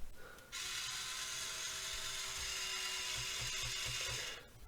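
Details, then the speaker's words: Slip clutch on the lift boom of a 1:28 scale RC loader (Rui Chang QY2302): small motor whirs with a high hiss, quick clicks as the boom reaches its stop; slip clutch clicking at end of travel, normal. Steering on this unit is separately broken. "uh clearly it has a slip clutch that's what you can hear click in there"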